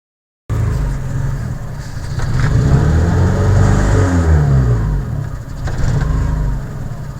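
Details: Honda F22A1 petrol four-cylinder idling unevenly with a stumbling, lumpy beat that smooths out on the rev; rough idle, cause unknown.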